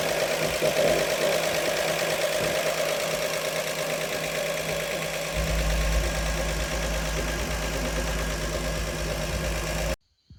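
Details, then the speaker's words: Warm idle of a 1948 Chevy Fleetmaster inline-six after valves adjusted cold then hot and engine break-in: steady, even idle, low smooth exhaust note, no knocks or misses; oil pressure held, temperature just above 180; gas leak on line noted. Normal idle. "And uh man, I don't know if I even need to throw a timing light on this thing. It sounds great."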